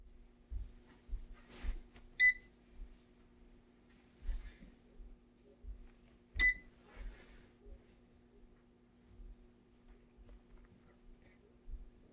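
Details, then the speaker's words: Cosori air fryer that won't turn on properly: two short beeps seconds apart over faint hum, gets warm and ticks but fan never spins up; beeps but fan won't start. "Gets warm. Fan doesn't come on. Actually, it's ticking. You can hear it get warm."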